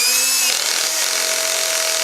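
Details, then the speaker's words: Cordless screw gun driving drywall screws with the adjustable clutch engaged: fast, even ratcheting rattle over the motor's high whir as the clutch slips at its set torque; normal operation. "stop screwing and you'll hear that rattle and that's the clutch giving way and of course the higher you go more effort you gotta put on it to hold it now"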